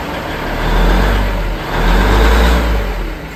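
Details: 1973 Ward fire truck, little driven for several years, just started early in the day. Steady low rumble with an even, unbroken idle beat and no knocks or misses; fired right up and runs healthy.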